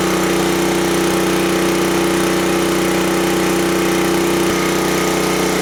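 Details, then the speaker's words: Small-engine generator at high governed speed, set to about 3650–3700 rpm (target 3600, idle near 1800) to allow for heavier load, checked with a tachometer. Loud, steady drone at one constant pitch, no misses or surging; normal. "It should idle close to 1800. Then when I let off the throttle, it should be close to 3600."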